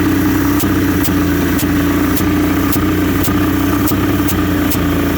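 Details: 1981 Johnson 200 hp V6 two-stroke outboard idling evenly with a constant airy hiss and a sharp tick about twice a second; hissing noise at idle, source unknown.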